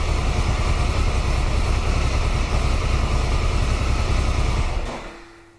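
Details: 1993 Triumph Trophy 900cc triple after new upgraded sprag clutch, fresh oil, oil and air filters: steady, even low burble at idle with no clatter, winding down smoothly at switch-off; normal healthy idle.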